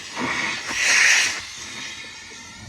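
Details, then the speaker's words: Compressed-air venturi vacuum tool sucking coolant through a hose on a 1971 VW Super Beetle during a coolant hose fix. A sharp airy hiss swells for about a second, then settles to a softer steady rush: normal suction. "Now you turn this valve on. Now you're creating a suction through this hose."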